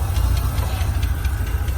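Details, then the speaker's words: Mid-1990s Ford Ranger 3.0 V6 5-speed from a wrecked truck, test start: deep uneven lumpy idle with a hiss; no smoke, ticking or knocking, rough idle; owner suspects broken vacuum lines sucking air. "No smoke, no ticking, no knocking. It's got a horrible idle though. And I'm thinking because all those vacuum lines are broke over there, you can hear it sucking air."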